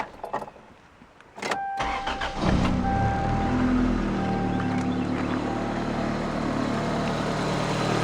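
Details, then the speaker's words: 1993 Toyota Corolla with JDM 7AFE 1.8 L engine from Engine World, new water pump, filters, front/rear seals, oil and coolant: brief crank, quick catch, smooth steady idle with no knocks or misses; runs great. "I run it into town last night it runs [Music] great it runs awesome"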